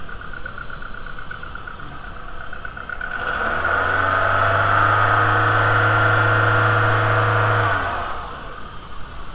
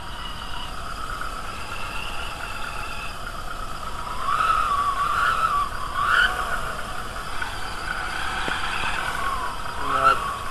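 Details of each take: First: VW A3 2.0L ABA after timing belt replacement: engine revs smoothly from idle and settles back with no squeal or chirp; the earlier squealing noise is gone. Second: VW A3 2.0L ABA, timing belt with incorrect tension: steady high whirring whine over the idle, swelling slightly with revs; that kind of belt tension is noisy.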